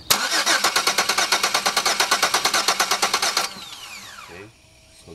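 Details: 2002 Chevy Venture 3.4 with good spark but no injector pulse: steady fast starter cranking for about three and a half seconds without ever firing, a crank-no-start.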